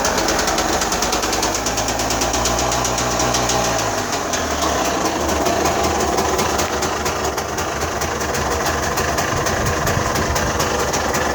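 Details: Mitsubishi Delica 6G72 V6 at idle: steady, even pulse with a soft airy hiss near the throttle body, which is normal intake suction. A smoke test found leaks only at the airbox spring clips and an intake hose.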